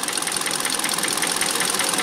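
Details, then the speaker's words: 2012 Kia Soul after an engine swap, warming up with heat on, waiting for the thermostat to open, still burning off some oil; light, fast, even injector and valvetrain ticking over a smooth idle; normal idle. "Okay, so far so good. Sounds pretty good."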